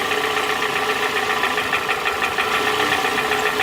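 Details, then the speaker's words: 2007 Toyota Camry with a flashing check engine light, running rough at idle; the cylinder 2 coil was swapped to cylinder 1 and the misfire followed it, pulling that coil made no change, confirming a faulty ignition coil, not the plug or injector. "so that's a simple way to confirm that it is the ignition coil so i'm not looking at a spark plug or not looking at the control side of anything i'm not looking at a fuel injector just an ignition coil"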